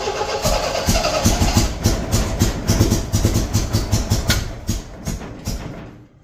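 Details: 1975 MGB running off a five-gallon gas can after first start: lumpy, uneven firing with irregular beats, then fading; owner suspects wrong firing order or cap on backwards; misfire.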